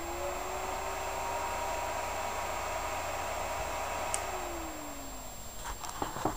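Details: Xbox 360 Slim with a fan mod and toggle switch between 5V and 12V: steady airy whoosh with a constant hum at 12V full speed, then the pitch sinks as it slows; sounds normal.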